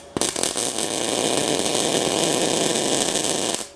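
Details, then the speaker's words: MIG welding practice with voltage, wire feed and everything set to the middle. A steady, harsh frying hiss of about 3.5 seconds without a crisp crackle. The weld is judged a bit hot with poor penetration. Cause not confirmed. "that's a bit on the hot side no that's a bit not penetrating enough"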